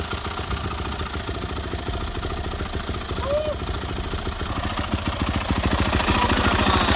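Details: Worn dirt bike, first start after work with new grips fitted; one part was found worn to zero clearance. Single-cylinder thump at a fast idle, slightly uneven and rising, with oil burning off. Later ran better but was still worn out.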